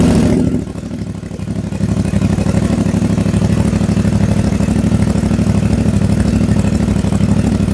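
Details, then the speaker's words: CF Moto 450MT, already warmed up (not a cold start), just after a DIY system software update from SW.1.00.23 to SW.1.00.98: after a brief dip it settles into a steady, evenly pulsing idle with no surging or stumbling; normal warm idle. "So, pakinggan natin kung may changes. So, yan yung idle sound."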